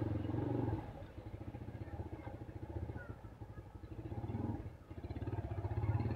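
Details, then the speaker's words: 2008 Yamaha Scorpio 225 after five months unused, oil already changed: low, uneven thumping idle with a loose, clattery beat that wavers at standstill, rougher with clutch released, smoother when revved. "biasa lagi enggak digas lagi berhenti. Suaranya kasar banget ya."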